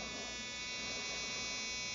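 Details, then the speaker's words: RCexl DLE30 ignition on a tester at about 7,000 rpm, powered by an A123 1100 battery drained to 6.5 V through a dual-diode voltage reducer, seeing about 4.74 V: high, steady buzz, not missing a beat; normal running. "4.7 well it's bobbling around 4.74 volts that ignition's humming it's not missing a beat"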